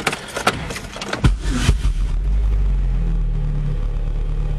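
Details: Engine with spark plug just cleaned in a pneumatic blast cleaner, in neutral: a few handling clunks, then it catches and settles into a steady, even low idle with no stumbling, no longer rough as before cleaning.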